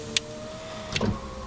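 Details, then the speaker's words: VX Commodore after repairing intermittent power window switch, driver's window tested: switch click then even motor whir down and up, somewhat slow, no grinding or stalling; normal power window operation. "driver's window goes all the way down yeah so you hear the clicking straight up straight down straight up"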